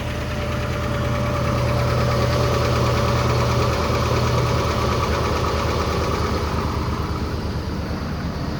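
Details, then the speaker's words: 2008 Pontiac Grand Prix GXP remote cold start at -21°F: fast light ticking, about three per second, over a rough cold idle, suspected unhappy lifters, plus a slight squeak from an old belt; balancer already repaired. "listen to those lifters they are not happy at all"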